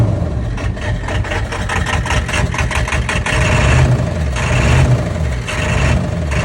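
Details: 1999 Ford 7.3 Power Stroke diesel: heavy idle with an uneven, lumpy beat, roughly one stumble a second; running rough, owner suspects bad injector O-rings, not confirmed.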